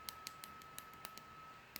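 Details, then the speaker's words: Lorex HD DVR that would not power up or boot, on its stock power supply: sharp uneven clicks over a faint high whine, with no fan or drive starting; power supply later found bad. "you can hear that clicking nothing now I was messing around with this what I did was disconnect the power supply"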